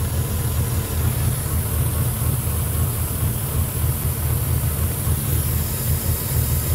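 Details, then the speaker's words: 2006 Ford F-150 5.4L 3V Triton with a remanufactured engine, almost 300,000 miles, codes P2195/P2197 stuck lean. The hot idle lopes and shakes unevenly, laboring to stay running, with hissing: rough idle from a large vacuum leak. "okay so classic signs of a large vacuum leak engines laboring especially at idle especially at a hot idle and we hear a hissing noise"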